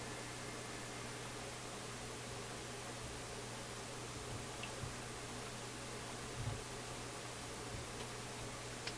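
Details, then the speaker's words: Philips console stereo tube receiver at first power-up, before any tube wiggling or adjustment: steady low hum under constant hiss with small clicks and no program sound; output only buzz, cause not yet known. "So I'm just hearing a buzz. Some other little clicky things happening."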